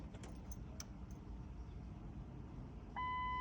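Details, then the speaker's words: 2004 Ford Expedition crank-no-start: at key-on a sharp relay click but fuel pump never hums or primes, only a chime; fuel pump relay suspected versus pump, fixed via relay. "you hear the click from the relay which is what we want but then the fuel pump is not is not coming in"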